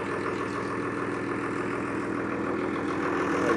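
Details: John Deere 6600 diesel tractor in for an injector leak fix settles into a steady, even idle with no misses or knocks; a leaking stack pipe at the top of number one injector is found while checking, yet it runs clean.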